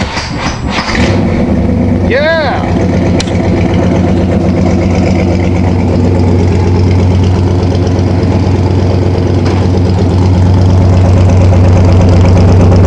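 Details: 1987 Toyota Supra MKIII with swapped 350 Chevrolet Vortec V8 and 700R4, restarted after rebuild with distributor cap corrected 180° and valve lash reset, open unwelded exhaust: deep, even V8 rumble, steady firing, no knocks or misses; normal running.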